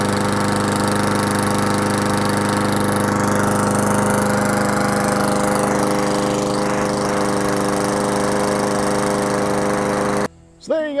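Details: Push mower after a carburetor service for a no-start, primed three times then started: small single-cylinder engine holds a steady, even buzz at constant speed with no surging or misfires; running normally again.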